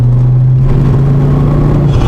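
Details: Mk2 Ford Focus ST under constant throttle: heavy, steady low drone through the cabin from driveline vibration; cause suspected, not confirmed.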